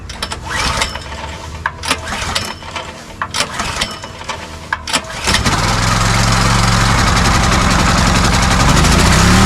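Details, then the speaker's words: Pressure washer small petrol engine, hose attached, oil very dirty; it starts after a few pulls and surges with a quick, uneven rise and fall at no load, as since purchase; carburetor suspected first. "it is surging so I'm going to start with the carburetor"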